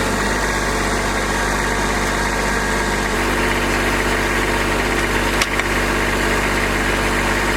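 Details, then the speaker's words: Kubota B2601 diesel tractor, first start in a month in cold weather with block, oil and transmission heaters, started quickly; steady even diesel clatter at idle, no misses or knocks while warming up, normal. "But it did start quicker than I thought it would, so we're going to let her warm up here a little bit and then get back at it."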